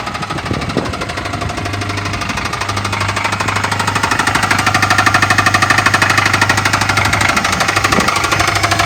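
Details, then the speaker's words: 2011 Dodge Charger R/T 5.7L Hemi V8, automatic, 128,000 miles: loud regular knocking, roughly three per second, hammering over the idle just after startup; bad motor with a deep internal knock. "with 128 000 miles but the motor has a loud look so it's got a bad motor"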